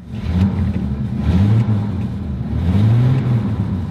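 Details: Old petrol truck engine, at least 150,000 (possibly 250,000) miles, power windows slow going up: deep, steady note swelling smoothly with throttle, no knocks or ticks; engine healthy, though cab shakes slightly in drive.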